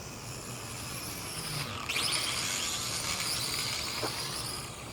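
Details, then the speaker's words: MJ 103 (X5C clone) quadcopter in flight after a crash damaged one of its open gears; high buzzing motor whine that climbs with throttle, with a coarse uneven rattle riding on it. Damaged gear. "kind of damaged one of the gears flipping over. So now it's all rattly sounding."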